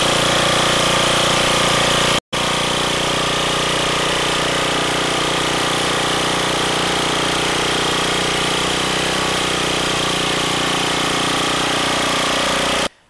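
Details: Small engine on a roadside-found machine after repair (one wheel replaced, new lever made, engine oil changed, auger gear oil topped off) holds a steady, even drone with a fast, consistent beat; no misses or surging, runs normally.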